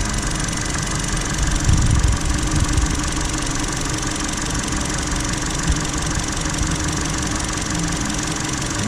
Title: Intermittent misfire picked up by the GTC505 without leaving my bay - Excessive spark plug gap